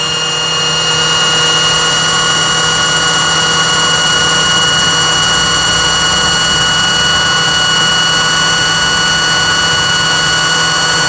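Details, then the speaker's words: Singer 8280 sewing machine after repair of pulley box whose springs had come out, covers off, bobbin winder angle held by hand: steady even high-pitched motor hum, constant speed, no knocks or grinding; normal bobbin winding run. "오른쪽 올렸다 내렸다, 그렇죠. 상하로 조정을 해주면서 북실을 감으면 됩니다."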